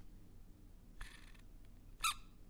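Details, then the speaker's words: 1979 8-track recorder's drive motor, removed from its silicone-padded damping case, gives two sharp high squeaks over a faint hum from a dry bearing needing re-lubrication. "so you can hear it really squeaking in there it it yeah it definitely needs to be lubricated"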